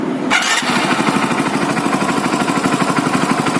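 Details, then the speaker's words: Hero Splendor Plus BS6 single-cylinder bike after timing chain replacement: starter whir, then catches and settles into an even quick idle with no chain rattle or ticking; timing chain noise gone. "तो आप सुन सकते हैं अब timing चैन की जो sound है वो इस बाइक के अंदर से बिल्कुल ही बंद हो चुकी है, ठीक है।"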